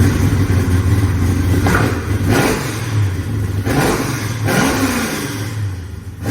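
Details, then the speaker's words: 1966 Ford Mustang fastback pro-touring build (KSV 9000) with Trick Flow top end kit and cam: lumpy V8 idle broken by sharp throttle blips rising and falling cleanly; strong, healthy cammed engine. "Trust me, that will get your neighbours' attention."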